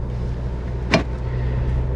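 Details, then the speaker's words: Ford Focus Mk1 while driving: a single sharp knock from the rear over steady low road rumble, caused by worn, loose rear sway bar bushings that could not be tightened. "so if you can hear that knocking that knocking is coming from the rear sway bar basically it's not tied down properly and today i'm going to fix that"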